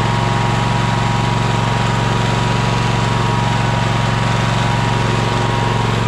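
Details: Troy-Bilt Horse engine running after a new fuel pump: steady, even single-cylinder beat, about three firings a second, no misses or rattles. Earlier smoke, from being turned on its side, has cleared. Runs normally.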